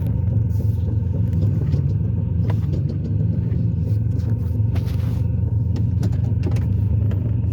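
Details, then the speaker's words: Ford Taurus idling after a shop visit: a deep, uneven rumble that makes the petrol engine sound like a diesel. An exhaust leak the owner says was not there before the shop work. "like a diesel that shot got my car sounded like got my Torah sounding like a diesel"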